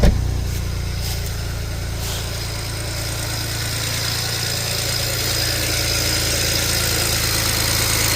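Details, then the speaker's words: 2007 BMW 335xi twin-turbo inline-six, first start after refitting the valve cover, spark plugs and injectors and priming the fuel pump: the engine catches and settles into an even, steady idle, all six cylinders firing. "Wow. Sounds like we're firing on all 6."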